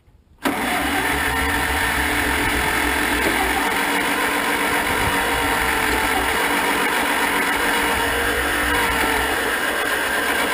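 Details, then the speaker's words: 1947 Farmall M tractor, first start attempt after rebuild, coil wire checked and gas on: steady cranking at about four turns a second with no firing. No spark is suspected, with backfiring but no start; cranks, won't start. "well we're getting some pops anyway what's going on here I don't know I can't seem to figure this out getting a lot of backfiring but no starts"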